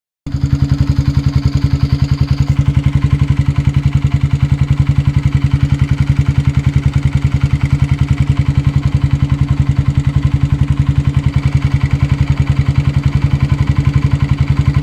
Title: honda CBR 125r 2005 making a small ticking noise is it my cam chain tensioner? or my valves?